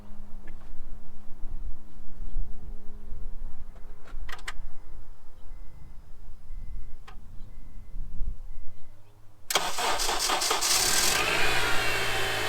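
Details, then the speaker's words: Copart auction rebuild car started on the trailer before unloading, with the hood stuck shut. A quick crank catches at once and settles into a steady idle with no lifter ticks or knocks; it sounds healthy. "all right so it's a started right up it sounds pretty good well here any lifter ticks or blanks or anything that shouldn't be there"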